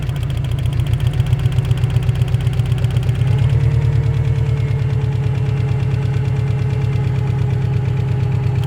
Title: стук на холодную